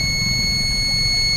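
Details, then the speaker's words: Solaris inverter PCB with burnt circuit, after replacing 7805 regulator, filter capacitor and relay section: steady unbroken high-pitched beep, no other indication; crystal or its pF capacitors on the microcontroller suspected. "तो दोस्तों यह inverter beep sound भी कर रहा है बात करने में मजा नहीं आ रहा है"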